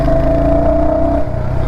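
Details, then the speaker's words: Royal Enfield Hunter 350 single-cylinder, after its 3rd service: a steady whining "tar tar" tone over the low thump, then drops away; abnormal engine noise since the service, cause not yet found. "और यह यह य मेरे bike में य य एक noise आ रहा है इधर से पता नहीं क्या चीज है"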